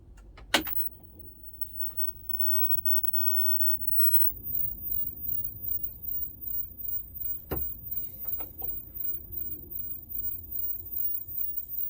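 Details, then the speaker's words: 1977 Hitachi CWP-132 portable colour CRT TV, first power-up in a decade with ropey-looking capacitors: single sharp bang at switch-on, then faint crackle, with smoke and a capacitor smell; a capacitor suspected to have blown, tube thought okay. "way whoa something went bang fantastic oh look smokeage wow oh that sounds like a cap smells like a cap"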